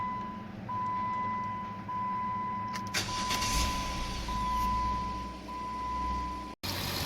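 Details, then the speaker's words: 2007–2011 Jeep Wrangler 3.8L V6 after replacing both exhaust manifolds (driver's side was broken, the other cracked): cranks and settles into an even idle with no ticking, puffing or exhaust leak. "the engine is running, you can hear, and there is no leaks anywhere. Engine sound is perfect, no exhaust leak."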